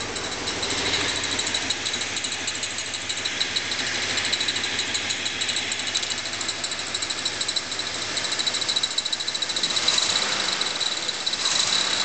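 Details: Small-block Chevy at idle: fast, light metallic ticking about three per second, steady; owner believes it comes from the timing chain cover, cause undetermined.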